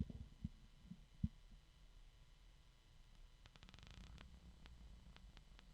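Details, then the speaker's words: Replacement bgears b-Blaster 140x38R PC case fan, undamaged, quiet steady low hum with no grinding or rattle, compared against the original unit with broken bearings; case slightly noisy from other fans under test. "this one is not damaged so hopefully you'll notice a difference if you compare"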